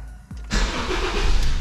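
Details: 2008 Honda New Civic starting on a newly fitted Moura battery: brief strong crank, catches and runs with a firm low rumble.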